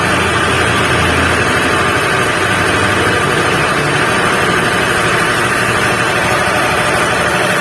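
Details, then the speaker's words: Honda Beat FI scooter with a rough noise: steady coarse rumble/hum under idle that doesn't settle and worsens with throttle; suspected worn crankshaft bearing. "jadi begini analisa saya itu yang pasti bagian kalah keras kerja bos biar atau bearing nya itu lebih itu bearing itu sering sekali betul ya terjadi masalah Hai mendengung suaranya"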